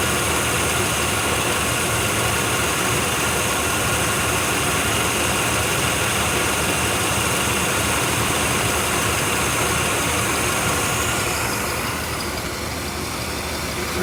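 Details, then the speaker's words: 1993 Chevy 1500 small-block V8, first run after sitting 16 years with new battery, running on its own fuel pump: even, smooth idle with steady beat, no knocks, ticks or rattles; sounds healthy. "No smoking. No knocks, no dings, no loud noises from the end. Ah, what is it? Power in sounds good."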